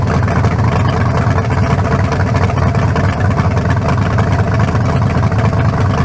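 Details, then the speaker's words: 1974 Chevy Nova rebuilt 40-over 350 (356) with forged low-compression pistons and new converter, run without turbos: deep, steady V8 idle with even lope, no misses, knocks or rattles; sounds better than the previous 388 with a cracked cylinder wall. "yeah much better i say we got it it ain't got no down no double no almost better than the 388"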